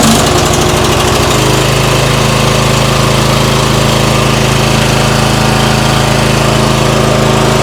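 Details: MTD White yard tractor, 13.5 hp Briggs & Stratton industrial engine, first run in years after starting fluid: loud steady thumping with slightly uneven beat after sputtery start, burning off crud; running but rough after long storage.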